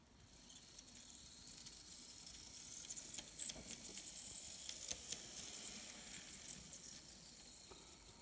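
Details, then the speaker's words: Kato N scale C44-9 model locomotive on the track, after disassembly and lubrication to cure noisy running: faint light hiss and soft ticking that swells and fades as it passes, no squeal or grinding; it now runs quietly. "every time every time i'm always impressed with how well these run never fails so i think we're done with our noise problem that's for sure very cool stuff"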